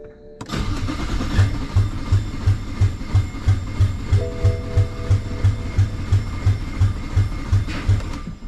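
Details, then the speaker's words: BMW 335i N54 converted to single turbo, on a hoist, first crank with all injectors disconnected to build oil pressure: even, heavy cranking pulses for eight seconds, no firing; the cranking sounds odd, cause unclear; dirty oil comes out. "Why did the engine sound like that?"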